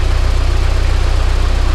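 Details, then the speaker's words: Volvo 745T turbo four after the turbo and exhaust manifold install: a steady, even low thrum at a 900 rpm idle with evenly spaced pulses and no surging. "it runs absolutely amazing check out those rpms 900 rpm that's that's right where this car should be idle's perfect idle's absolutely perfect now sounds great"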